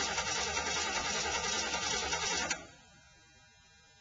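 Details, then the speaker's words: Ford F-150 work truck, 351M/400ci V8, automatic, 4x4, cold start after sitting about 3 weeks: steady starter churning for a couple of seconds, slow reluctant crank; owner suspects a dead battery. "That battery's dead. I'd say it's been sitting here so long."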